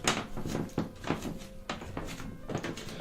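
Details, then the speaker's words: Master bathroom bathtub installed with no support underneath, squeaking for about two years: irregular dull creaks and knocks as weight shifts on the tub. The planned fix is spray foam under the tub through the wall. "so today what we're dealing with is a squeaky bathtub so in my master bathroom you've got a bathtub that I don't know if you can hear it but"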